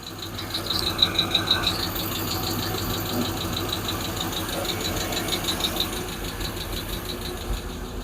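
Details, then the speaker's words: Freshly built Hemi V8 in a Plymouth Duster with homemade intake, on a temporary fuel setup: a sharp light tick about three times a second over a smooth idle, one lifter clanking; owner fears bad lifters. "I just got that one lifter clanking. That bothers me."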